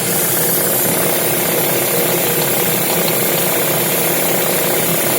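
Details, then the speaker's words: Lada Vesta with Valeo clutch at idle: a steady knock and crackling chatter on the engine note from rattling clutch disc damper springs, not an engine fault, just unpleasant. "стук, и треск идет. Очень неприятно."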